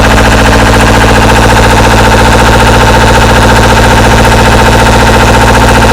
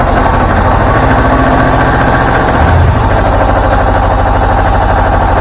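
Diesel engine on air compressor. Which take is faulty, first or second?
first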